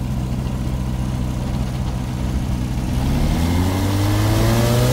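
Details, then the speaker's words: WW1 replica airplane engine, started after years sitting in a shed: smooth steady drone, then a clean rising pitch as it revs, no misfires or rattles; surprisingly quiet, running normally. "dude it's really quiet I'm just impressed with how quiet it is like I'm telling you and I'm not even like talking loud that's crazy"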